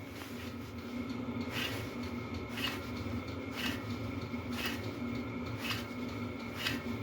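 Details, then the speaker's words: 2010 Hyundai Tucson at 98,623 miles, front right hub spun by hand with the car taken apart: dry, gritty rasp with a click about once a second; worn wheel bearing, milder than the front left. "I just want to show you what the front right side sounds like if that wheel bearing was pretty much in the same boat as this one"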